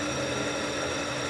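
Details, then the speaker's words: 1959 Axeman Anderson 130M coal stoker boiler motor, after being blown out (owner suspects gummed starter capacitor switch) and belt refitted, running a couple of minutes: steady, even hum with a light whir, no slowing, knocking or stalling; normal running. "and then it started running again and then I blew it out while it was running and then I shut it up put the belt on it's been running for a couple minutes now so I guess it's okay"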